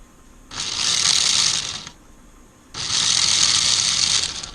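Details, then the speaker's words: 1994 Lionel RS3 Happy Holidays (6-18837) motor on test: high-pitched whir in two sudden one-second bursts, racing then dropping away; kicked into high gear with no speed regulation, motor needs cleaning, dirty commutator suspected. "Now, it's kicked into high gear. There's no speed regulation in that motor. I think we need to clean that motor out."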